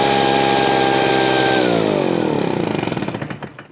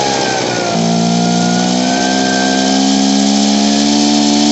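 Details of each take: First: Poulan Pro PR46BT two-stroke backpack blower with an old carburetor. It wouldn't idle, so the idle screw was turned up. It holds a steady high buzz, then drops smoothly to an even idle without bogging or stalling, now running properly. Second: Poulan Pro PR46BT backpack blower with an old carburetor, before adjustment: revs up, hangs in a wavering buzz, then sags and tries to stall near idle; bogs and won't throttle up.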